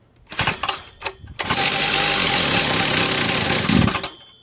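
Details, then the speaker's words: Stihl TS460 concrete saw after a year sitting in a shed, fixed by aligning the choke with the switch, no blade or load, choke off: a few pulls and sputters, then loud steady buzzy high-speed run that dies; runs strongly, normal running. "yeah runs like it runs like a beast see like the choke is off there's no load on it"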